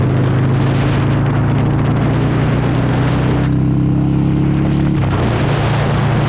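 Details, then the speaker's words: Older Harley-Davidson V-twin with a CV carburetor, mixture screw turned out because it was suspected lean, on a road ride: a deep pull rising smoothly with no stumble, more power and response; normal running under acceleration, though it then dies. "so already this thing just feels so much better. It has so much more power and it's so much more responsive,"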